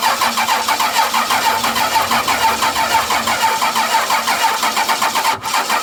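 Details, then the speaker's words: 12-valve Cummins diesel after nine years sitting, fuel shutoff valve pushed up by hand: catches and settles into a steady clatter, about two pulses a second, no misses; runs good, injection pump seems a little sticky. "well it runs good the uh injection pump seems to be a little sticky"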